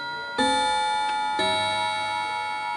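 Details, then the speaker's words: Antique Davison Bros London chiming clock, just switched from silent to chime: two bell strikes that sound out of sequence while the mechanism catches up with itself. "the system will just catch up with itself it'll just sound wrong when you move it from Silent to chime"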